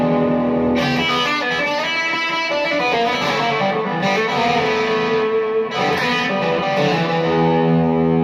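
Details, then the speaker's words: Electric guitar after repair of scratchy pots and a bad output jack connection (re-soldered); plucked notes ring clean and steady through the amp with no crackle or dropouts in lead or rhythm pickup positions; signal path healthy. "all right sounds good no little crackles on the lead position and nothing coming from the rhythm section either"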